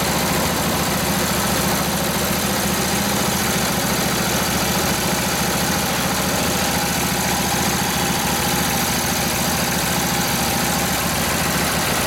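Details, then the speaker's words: Rebuilt Harley 45ci WL flathead V-twin in a modified 1932-34 RL frame, with points just set, pulls near full throttle with the brake applied; a steady, even thumping holds a strong pull without stumbling, healthy under load. "yeah that was about almost full throttle there the brake on yep had the brake buried in still Full Throttle till it it loaded up took the load so yeah a good sign"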